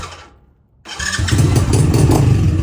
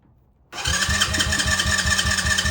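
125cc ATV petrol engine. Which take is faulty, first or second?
second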